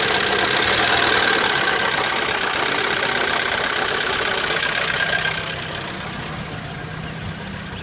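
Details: VW ABA petrol engine on first startup after a new oil pump and PCV system replacement: sharp, even ticking over the engine as it settles into idle, typical hydraulic lifter tick.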